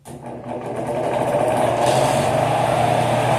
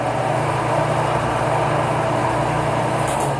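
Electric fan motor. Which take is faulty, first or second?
first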